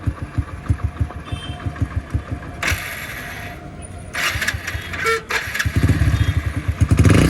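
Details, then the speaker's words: Hero Splendor motorcycle after fixing noisy timing chain (loose cheap local chain replaced): even idle then clean throttle blips rising and falling freely, no ticking or top-end rattle; problem solved. "को तो आप check कर सकते हो sound कुछ ऐसा आ रहा है बिल्कुल सॉल्व हो चुकी है प्रॉब्लम"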